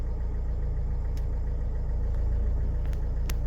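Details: Mercedes Sprinter W906 OM646 diesel after fuel filter replacement, pump primed before start: even diesel clatter at steady idle with no stumbling or hunting; runs smoothly.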